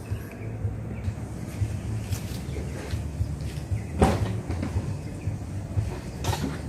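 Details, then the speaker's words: Petrol car engine (Avanza/Xenia-type) started and idling as a normal-condition reference: soft, steady low idle with only faint background clatter, no knocking or roughness; normal idle. "Disini saya akan coba menyalakan dulu mesinnya ya nanti kita akan coba dengar suara mesin mobil ini ya Ini suara mesin mobil dalam kondisi normal ya teman-teman ya"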